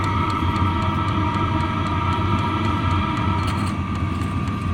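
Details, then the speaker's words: Vevor 5kW diesel heater running with an aftermarket muffler, compared to no muffler and the factory muffler: a steady, soft hum with a subdued exhaust note and a light, regular ticking from the fuel pump. Much quieter, running smoothly. "And that's the aftermarket muffler, and that's a pretty substantial difference. No muffler, and the factory muffler. I'd say that's a pretty big difference."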